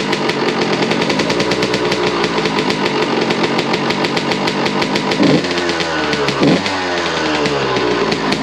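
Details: 2001 Suzuki RM125 two-stroke after repacking the slip-on exhaust, under a carport with echo. Crisp rapid crackle with two short throttle blips rising in pitch; no longer the hollow tin-can sound from before packing. Healthy exhaust note.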